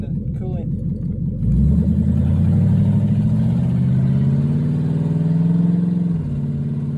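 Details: Ford Mustang 4.6 V8 after intake replacement meant to stop coolant entering cylinders 5 and 6, still warming up at idle: lumpy idle briefly breaks up and dips; stumble unresolved, owner guesses spark plugs or something hooked up wrong.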